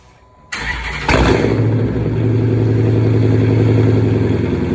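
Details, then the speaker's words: 2009 Dodge Challenger R/T 5.7 Hemi being rebuilt after an engine fire, first start: the starter whirs, the engine catches quickly and settles into a loud, steady, even idle with no knocks or misses. "all right you can hear that the challenger is alive we're gonna go for the first test drive this thing is loud too"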